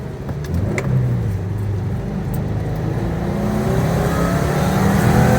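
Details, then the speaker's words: 2015 Subaru Forester FB25 2.5L, DIY Eaton M65 supercharger, 93mm pulley, about 5.5-6 psi, after fuel pump install, full-throttle 0-60 run: note climbs then flattens near the top; high-rpm bog, owner suspects fuel delivery problem. "I felt quite a big bog at high RPM so I wonder if maybe that was a fuel delivery problem"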